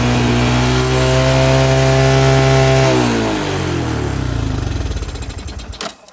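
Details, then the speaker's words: 1983 Honda 200E three-wheeler, carburetor removed and adjusted twice, air filter out: steady high drone at full throttle, then sags into slow, lumpy firing and stalls when let to idle; carburetor fault. "That's full throttle right there. If I let it go to idle, it'll go dead."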